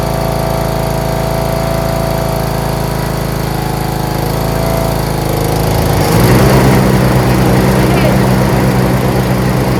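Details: John Deere RX75 rear-engine riding mower, first start after ignition switch replacement and reassembly, choked, in neutral: steady, even single-cylinder idle thrum that steps up smoothly in speed near the end; normal idle, running well.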